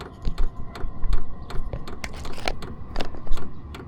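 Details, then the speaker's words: Vevor 5 kW diesel heater fitted with an aftermarket Wayska fuel pump and aftermarket muffler: exhaust is nearly silent, but the dosing pump ticks with sharp hard clicks about twice a second; loud fuel pump ticking. "Hardly any noise from the muffler, but you can hear the fuel pump in there clicking aw"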